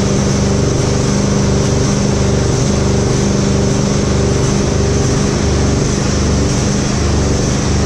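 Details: Husqvarna GT52XLSi lawn tractor, 24hp Briggs & Stratton, before repair: engine speed swells and sags once or twice a second, never settling; surging from bad O-rings on the two carburetor jets, fixed by replacing them.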